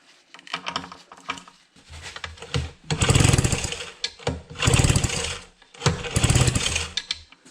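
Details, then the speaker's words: 4 hp Evinrude two-stroke outboard being built into 8 hp, compression judged good: three hard starter-cord pulls, each a churning whirr of a second or so, never firing; no spark, cause yet to be found. "eiuu ihan mykkiä Kokeillaanpa toisella tulupalla ei tukkipin voi voi elikkä revin Rode olikin Romu No se pitää alkaa selvittää että miksi ei tuu kipinä"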